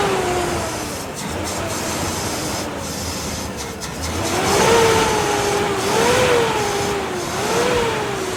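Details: Toyota FJ40 engine revs rising and falling with uneven stumbling note; misfire diagnosed with scan tool and traced to faulty distributor, restored in repair.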